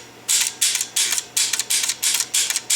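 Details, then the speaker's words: Chicago Coin Blue Max electromechanical pinball score wheel after servicing; it had been gummed up and binding, and its contacts were cleaned. Crisp, even ratcheting clicks about three per second with no hesitation, so the wheel steps freely. "And here's the score wheel after servicing."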